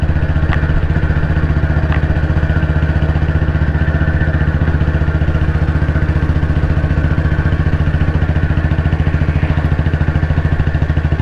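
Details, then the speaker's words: Royal Enfield CI Bullet 350, 2009 build, after engine work, climbing a slope in top gear at very slow speed on constant throttle: slow steady thump about 220 beats a minute, even under load at low revs; normal running under load. "ആ ഒരു സ്പീഡിൽ തന്നെ കയറി പോകുന്നുണ്ടോ എന്നുള്ളതാണ്. ഞാൻ speed കൂട്ടുന്നില്ല, same ആക്സിലേഷനാണ് പിടിച്ചേക്കുന്നത്."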